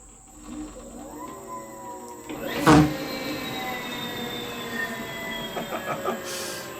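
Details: Homemade 72V 12,000W electric dirt bike on a Kawasaki KX250 frame, after grinding down a brake disc bolt that rubbed the caliper bolt: clean motor whine climbs with speed then eases off, no rubbing; normal.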